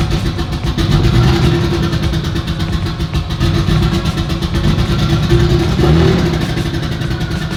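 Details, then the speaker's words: Turbo Lexus IS300 on first start after build, new fuel rail bolts; rough, uneven idle with occasional stumbles and gaps in exhaust beat; intermittent misfire, cause not yet found. "Well, it wanted to run. Yeah, we have an intermittent miss we need to get figured out."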